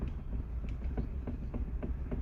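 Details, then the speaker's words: Citroën C3 steering wheel rocked by hand: light uneven clicks and small knocks from play at the shaft, a known fault where the wheel retaining bolt under the airbag has loosened and needs retightening. "c'est un jeu au niveau de l'axe, c'est-à-dire la vis qui doit être desserrée, c'est assez connu."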